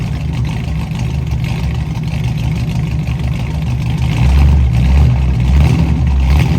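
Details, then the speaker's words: 1967 Mustang carbureted V8 after new fuel tank sending unit, blown-out lines and carburetor needle and seats repaired: deep, even rumble with smooth rev blip, no stumble or miss; normal idle, running again. "it's running again."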